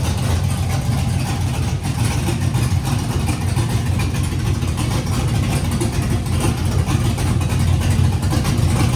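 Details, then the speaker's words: LS-swapped Nissan D21 Hardbody, junkyard LS V8 with Summit cam and truck intake, fuel leak present: deep lumpy idle with recurring stumble; running on seven cylinders, one cylinder not firing. "um did you do that oh it's written on seven cylinders and that last clip starts fast man"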